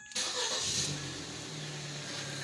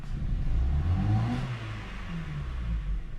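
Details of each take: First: Ford Focus with no-start/hard-start; supplied spark plug number 2 exploded, old plugs refitted: short crank, engine catches at once and settles into steady idle, slight misfire remaining; needs new plug wires and spark plugs. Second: Ford Focus after plug change for no-start, using supplied new plugs: engine revs with uneven stumbling pulse, heavy vibration, flashing check light, P0300 multiple misfire; ignition dropouts from faulty new plugs.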